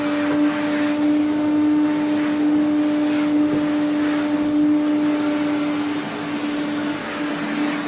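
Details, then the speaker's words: 1980s Electrolux 350E cylinder vacuum cleaner, restored outside but with a poor motor inside: a steady mid-pitched whistle over the motor drone, coming from two parts pointed out; cause unclear. "well you can hear the whistling that's these two"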